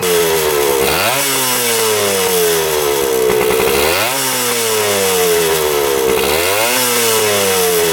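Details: 1977 Kawasaki KE100 two-stroke enduro, revived after 10 years parked, no air filter: revved up and let down about three times, pitch climbing cleanly and dropping smoothly; revs out freely and runs well.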